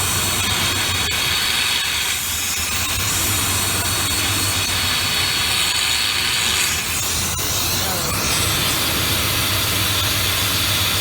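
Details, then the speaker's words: 1995 Ford F150 that sat with stale gas, after a tune-up: the brake booster vacuum line is pulled off for a Seafoam treatment, giving a loud hiss over a stumbling, rough idle from the big vacuum leak. "So this is going to run piss poor. Hear that big vacuum leak."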